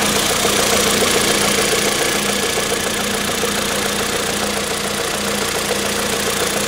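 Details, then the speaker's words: Kia Picanto small petrol engine after dealer repair of engine rattle, idling after cold start: even, busy idle with quick regular valvetrain tick and no loose chain rattle; healthy, quiet idle. "i think it works quiet as a mouse that's what we want"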